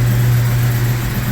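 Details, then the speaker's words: 1996 Jeep Cherokee after new timing chain, harmonic balancer and distributor turned 180 degrees: smooth, steady low hum with an even beat, no knocks or misses; idles cleanly, no check engine light. "Hey look it's not vibrating like crazy come on sounds like it's happy again yeah yeah it's learning"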